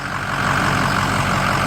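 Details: 6.0 PowerStroke diesel after oil cooler install and FICM replacement, first start: deep, steady clatter at an even idle, no misses or surging; engine running smoothly and healthy.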